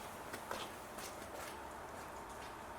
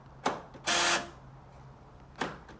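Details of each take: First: 2009 Nissan Note, left-hand (UK passenger) door lock actuator after replacement: a few crisp single clunks as the lock cycles, no buzzing or grinding unlike the old noisy one; normal actuator operation. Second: 2009 Nissan Note, UK left-hand passenger-side door lock actuator: sharp click then a short harsh buzz when locking; the noisy actuator is being replaced.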